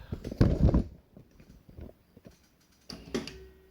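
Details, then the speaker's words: Juki DLN-415 single-needle lockstitch industrial sewing machine with newly installed Kobe servo motor, after needle positioning synchronizer calibration: short whirr and soft clunk as motor turns and halts in needle-up, then another brief spin to needle-down; positioner stopping cleanly, normal. "now we're a needle up. And I'll switch back to needle down. Okay. Needle down."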